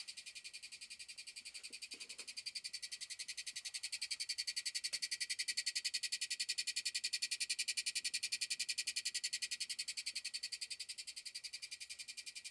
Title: AT&T U-Verse Fiber Panel- Vibration / Clicking Noises